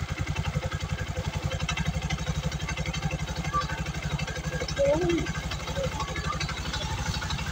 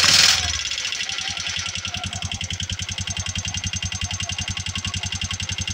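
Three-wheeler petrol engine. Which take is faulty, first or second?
second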